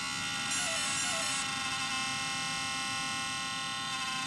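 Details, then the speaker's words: Traxxas XO-1 RC car (two batteries) at power-up: thin, steady high whir of small cooling fans with brief electronic tones; the fan sounds weak but this audible fan noise is normal and signals the system checks are done. "Now, you may think, oh, well, what's that? That does not sound good. Actually, it does that audible fan noise to let you know when it's done doing all of its system checks."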